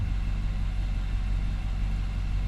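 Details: 2019 Nissan Armada, after throttle body cleaning and relearn: smooth low rumble at constant speed, no dips, surges or ticks; idling normally with good accelerator response.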